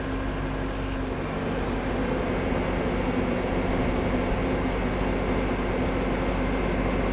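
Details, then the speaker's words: Bobcat skid steer after a repair to cure belt squealing: steady, even diesel drone with no squeal or high-pitched whine, normal running. "Good. No more squealing. Seems to be pretty good."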